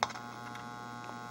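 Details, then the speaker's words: Atari Audio Regulator AR2 amplifier board on the bench, cabinet speaker connected, no audio input: steady low buzz with a faint whine from the speaker, louder on speaker two; cause unknown. "before i do that i figured i would just hook it up and see what it sounds like with no audio at all and we get a little bit of a buzz out of the speaker if you guys can hear that"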